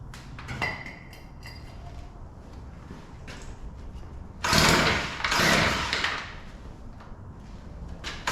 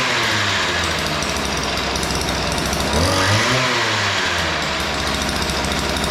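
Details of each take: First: Weed Eater PE550 two-stroke edger, primed with carburetor cleaner after failing on full and half choke: catches in short ragged bursts and falls back, stumbling; both carburetor mixture screws far out of adjustment, too lean. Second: Weed Eater PE550 two-stroke edger after opening both too-lean carburetor mixture screws: steady buzzy drone with a brief rev rise midway, no stumbling or missing; starts easy, runs clean, fixed.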